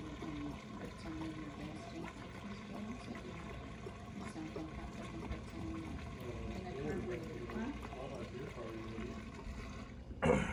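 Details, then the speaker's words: 1975 International 200 pickup found in a field, key on. A soft, irregular gurgling and bubbling under the pump hum; owner suspects there is little fuel left in the tank being pumped from. "okay turn it off i don't think there's much left in that tank it's like gurgling and bubbling"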